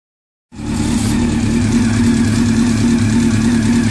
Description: Hi my Honda CBR 600 fx is making a ticking noise if you know how to fix please leave a comment below.